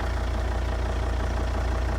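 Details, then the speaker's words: Volvo S80 D5 five-cylinder diesel, automatic, idling in cold snowy weather, phone held near the bonnet right up to the intake; low even idle with a fine steady pulse, no knock or rattle; quiet and healthy. "These Volvo D5s have got to be one of the most quietest diesel engines going."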